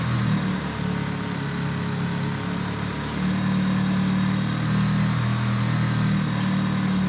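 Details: 1995 Eclipse GSX, 137k miles, new 16G turbo, 3-inch exhaust; idling with rough repeating knock-tick about three or four beats a second; previous owner suspects spun bearing, bent valve also questioned, cause unconfirmed.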